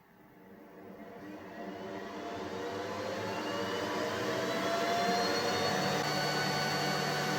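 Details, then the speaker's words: Upgraded boosted enclosure exhaust fan on a Snapmaker with 40W laser, set to full speed (P100) for laser fume extraction: whooshing whir climbs as it spins up, then a loud, steady rush; normal, much louder than the standard fan. "while using the laser I want the strongest exhaust possible and I don't mind the noise now let's start a noisy fan on"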